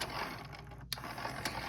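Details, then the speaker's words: Denon DCM-380 CD player whose tray wouldn't open (Error 2) because the tray motor was seized, freed by repeatedly cycling it: quiet whirring with ratchety gear clicks and a couple of sharp snaps, with some residual squeak from the tray mechanism. "I kept pressing it to kind of work the motor out itself I just kept doing this for a few minutes and most of the screeching noises now gone"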